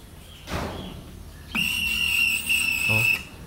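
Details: Windshield wipers suddenly became noisy: high steady squeal about a second and a half with each sweep, persisting after WD-40 spray; noise seems to come from inside, so the cover is being removed.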